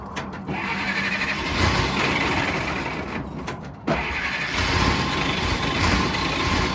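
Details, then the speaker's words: 1940 Dodge VFA32 winch truck, 85 years old, final start of the day with the fuel line still to be fixed and the engine still thirsty: steady, even idle that has smoothed out. Smooth running. "But last time, let's listen to her. I think it's smoothed out."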